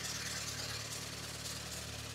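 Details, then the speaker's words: VW MK2 Golf GTI 16v on first start after home engine rebuild: quiet, steady idle with even low hum, no knocks or misses, slight exhaust smoke; normal idle. "look it's idling now as it started up it's idling smoking a bit from the exhaust"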